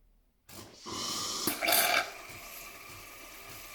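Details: DeLonghi ECAM23.460S after replacing the top solenoid valve (part 5301) to fix a non-working milk frother: silence, then a steady steam hiss with a short gurgling sputter as milk is drawn through. The frother is now working normally.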